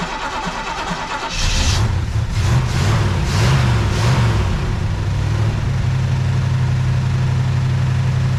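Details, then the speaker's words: 1973 Camaro RS V8, not started in a while: brief crank, then the engine catches and settles into an even, deep burble with no misses or knocks; normal cold start and idle. "so I'm gonna try and start the car I haven't actually started it in a while so I'm just gonna do that real quick so you can hear it run"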